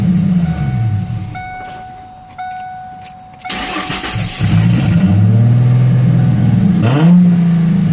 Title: 98 mustang 3.8l rough idle after split port swap